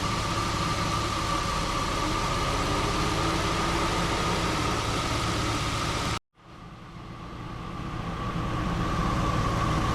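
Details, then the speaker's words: 2005 Jeep Liberty at idle, A/C on full with windows open, recharging via manifold gauges: steady idle with an even compressor hum that never cycles; once low-side pressure rose above the low-pressure sensor threshold, the compressor stopped short cycling, blowing cold. "Once I reached the point above low pressure for that sensor, the compressor kept running."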